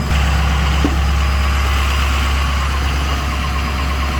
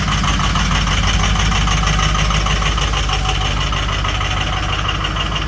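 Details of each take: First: Truck after about 15 minutes warming in 12-degree weather, oil 144, coolant 136, transmission about 80 degrees; steady, even idle with a low, smooth drone, no knocks or misses, ready to drive. Normal warm idle. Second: Started at 6 a.m. in 12-degree weather after 2 hours on the block heater, oil 56 and coolant 60 degrees, reluctant to start; loud, heavy idle with lumpy, uneven clatter, owner surprised it's so rough and expects it to clear. Rough cold idle.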